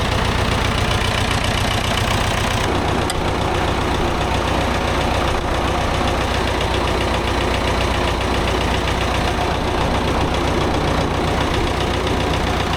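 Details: Vintage David Brown 990 diesel tractor, abandoned 20+ years after tipping over while running, restarted after fuel flush and new fuel: even chugging idle about 150 beats a minute, no misses or heavy knocks; engine sounds fine, though hydraulics not working.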